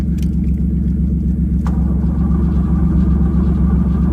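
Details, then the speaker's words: Hearse engine running after fuel pump replacement, first true fire, on jump starter: loud, deep rumbling idle with rapid, fairly even puffing about four per second; exhaust leak, owner suspects the flex pipe. "I wish I could make that thing a little bit quieter, you know. Probably maybe fix that flex pipe and it might work."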